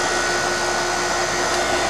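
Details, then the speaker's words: Older York fixed-orifice heat pump outdoor unit before charging, target superheat 22.4, suction line barely warm: steady light hum and fan rush, compressor sounds unloaded with no heavy labouring note, dangerously low refrigerant charge. "So this thing is really low. You can kind of tell by the way the compressor is sounding. It doesn't seem to be under that much of a load."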